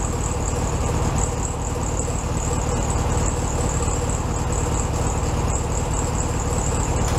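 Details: 1967 VW Beetle 1500cc air-cooled flat-four, warmed up after carb reinstalled on new base gasket: steady, even low thrum at a slightly high idle, no misses or stumbles; normal idle.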